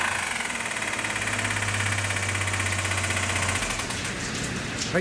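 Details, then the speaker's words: Carry 4WD kei truck engine at idle: a fast, steady metallic ticking and clattering that keeps pace with the engine. Suspected spun crank bearing or tappet noise in the cylinder head, internal damage; the engine is being replaced with a rebuilt unit. "おそらくクランクのメタルが飛んでるか、あとはシリンダーヘッドのタペットを打ってるかというような形の音だと思います。"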